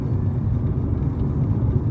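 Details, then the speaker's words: Mazda CX-5 cruising at about 60 km/h on smooth paved road: constant low droning road roar with no rhythmic thump from very old, worn Yokohama tires; all four to be replaced with Michelin. "So dinig mo yung ingay. Kasi nga yung gulong matagal na lumang-luma na. So papalitan natin mamaya ng sabay-sabay 4."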